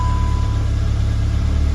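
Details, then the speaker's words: GTI during rebuild, first start in about 3 months after fluid changes and coolant flush: deep uneven idle surging and dipping, running rough with many error codes; cause not yet clear. "It's running terrible for a second there. Got a lot of errors. Something's wrong."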